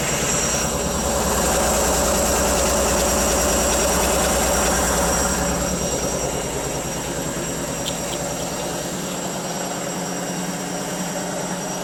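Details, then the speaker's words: Brand-new Indesit IWC6105 6 kg 1000-spin freestanding washing machine: loud rhythmic rumbling roar, about three beats a second, building as the drum spins up, badly unbalanced and far too loud; bearings had failed and the drum needed replacing. "It shouldn't be that loud, should it? Oh, geez, that was unbalanced, wasn't it?"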